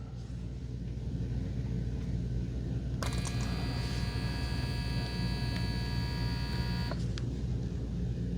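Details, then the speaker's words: Braun Series 9 PRO+ shaver 6-in-1 cleaning base during automatic self-clean: low steady pump hum with a higher whirring tone coming in for a few seconds then dropping out as it stops and starts normally. "It'll stop on its own. So it kind of stopped for a little bit, then it starts back up again. again, it kind of stops and starts."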